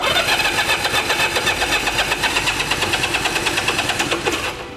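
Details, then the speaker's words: Abandoned Honda Dream motorcycle with choke on: even starter cranking at about four beats a second that never catches, because the fuel petcock was left shut after fuel poured out; cranks but won't start. "Wait, did I turn the fuel back on? >> I don't know. Did you? >> No, I didn't. >> That's going to be a problem."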